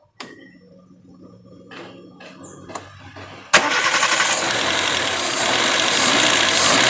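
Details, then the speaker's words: Chevrolet Spark 1000cc 4-cylinder after AC wiring/throttle-signal fix via ECU manipulation, AC switched off then engine restarted: catches and revs cleanly with steady even roar; idle relies on TPS, wait for normal rpm before AC. Normal start and throttle response. "Nah jadi tunggu normal dulu dia baru bisa kita hidupkan AC ya karena idelnya ini dia ber apa namanya bertumpu pada sensor TPS aja lagi ya"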